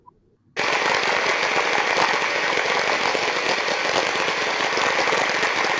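Dense hissing rush through the ultrasound probe with irregular clicks scattered through it, roughly four a second: a bearing with impacting, not a clean baseline.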